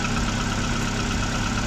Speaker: причина обращения стук посторонний шум из мотора сейчас мы его послушаем то есть вот такой звук происходит из мотора